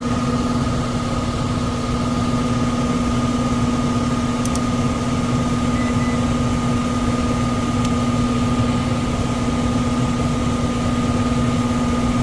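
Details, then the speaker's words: 1999 HVAC unit, about 25 years old: blower motor runs with a loud constant hum and rough shaky rumble, visibly shaking; tech recommends replacing the blower motor. "Y'all can hear that, but you know, got a nice little shake to it. You see the tree shaking."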